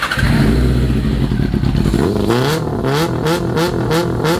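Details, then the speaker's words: 2000 Yamaha R6 after carburetor cleaning and sync, all four carbs aligned, mixture still rich and to be lowered: crisp quick throttle blips about two a second rising and falling cleanly with no stumble; acceleration strong, normal revving. "ya están los cuatro alineados Bueno ya la aceleración es bastante más agresiva"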